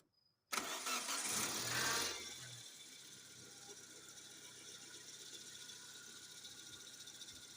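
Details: Engine that cranked without starting from no fuel pressure, after fuel pump replacement and fuel filter cleaning: short crank, catches right away, then a smooth, steady idle with no misses.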